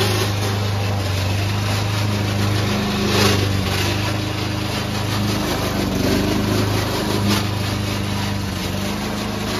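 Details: Old Toro Recycler mower cutting Kentucky bluegrass, binaural recording: a steady engine with a constant rough rattling racket from the drive system. The noise was later solved with WD40.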